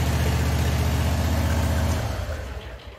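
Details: John Deere QuikTrak 652R stander with new starter: smooth, regular idle pulse with no misses or knocks, then shut off and coasts down; normal idle.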